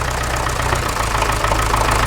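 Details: Massey Ferguson MF35 tractor diesel started cold with start pilot after priming the fuel and repairing a cracked cylinder head water channel: loud, steady clatter at idle with an even firing rhythm and no misfires; runs well while cold.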